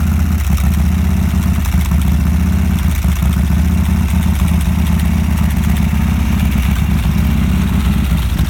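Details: 1987 Harley-Davidson FXRP (EK, ex-CHP) with Andrews EV27 cam, 15K miles on rebuild: cold idle on choke, steady, deep and even V-twin with no knocks or misses.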